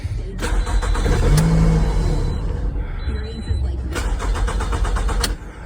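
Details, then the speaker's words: 2009 Pontiac Vibe, crank no start after being stranded on the highway: starter spins engine at a steady even chug, about three beats a second, never catches; no fuel pressure; injector pulse unchecked. "So I don't think we have any fuel pressure."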